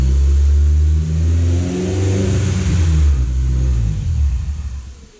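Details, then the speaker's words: Supercharged Honda S2000 (407 whp) revved from inside the car just after a Clutch Master FX350 clutch install replacing a failed Comp stage 2 bearing; strong deep exhaust climbs cleanly on each blip and settles evenly, no rattles or slipping: normal revving. "Start it up real quick. Beast mode. Sounds good, right?"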